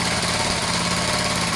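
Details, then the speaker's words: Restored Honda XL100S single-cylinder idling steady and even with a crisp exhaust note on a cold day, just started after fitting a brand-new genuine exhaust; no misses or knocks, a normal healthy idle. "She's running. As I've spoke, it's just really cold here today."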